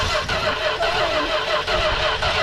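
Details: Industrial 440 engine, gasoline poured in to start it. Starter grinds in slow, regular pulses about twice a second as the engine turns over but never catches: cranking no-start. Cause suspected, not confirmed.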